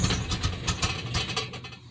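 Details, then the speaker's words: 1988–1998 Chevy Silverado truck with straight pipes and an exhaust leak won't hold idle, surging and sagging then dying; smoke test for a vacuum leak found none, owner now suspects timing or distributor; earlier fix was a missing throttle body intake clamp. "all right so this is what my truck does right here they don't have a cam just to let you know watch it'll die"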